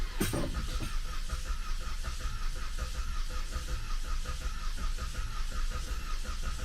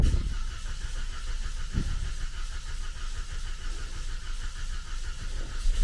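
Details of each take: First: 2014 Cadillac CTS 2.0T cranking without starting after a new timing set and head gasket, with no oil in the engine; irregular, uneven churning with no firing; owner worries it jumped a tooth or suspects the missing oil. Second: 2014 Cadillac CTS 2.0T first start after new timing set and head gasket: brief crank, then a low, even idle with no ticking or knocking; exhaust smoke expected, normal start and idle.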